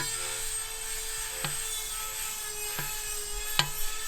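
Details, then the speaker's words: Tillotson racing mini bike engine rebuilt from 225cc to a 236cc stroker (72mm piston, 58mm crank, billet head): turned by hand with side cover fitted, three sharp light scrapes at uneven points as the rotating assembly hits the cover in two spots needing clearancing. "Well, we got some hitting. In multiple places. In 2 different places that we found. So if you rotate this thing down and it hits."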